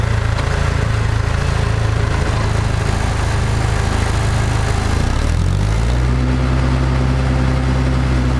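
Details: Restored International Harvester TD-7 Series C bulldozer diesel, out of gear, after restoration: even steady chug with fan roar, speed shifts and settles smoothly, no knocks; runs healthy.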